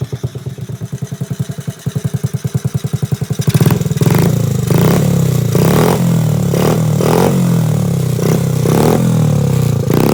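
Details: Restored 1986 Honda Z50R pit bike with aftermarket exhaust: even pulsing as it turns over and catches, then a steady single-cylinder putter with crisp revs; runs well.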